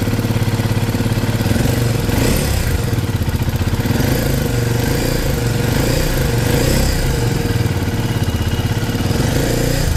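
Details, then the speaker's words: KTM Duke 250 single at idle before engine work, bike also smoking: fast busy metallic tapping over the beat; mechanic blames badly worn tappet shims, loose timing chain, plus valve and piston noise. "इसके अंदर क्या है कि शिममें जितनी है जो टैपट की शिममें होती है वो वाच कर रही है बहुत ज्यादा और ये गाड़ी मार रही है स्मोक और इसके अंदर टाइम चैन वगैरह लूज है इसकी काफी"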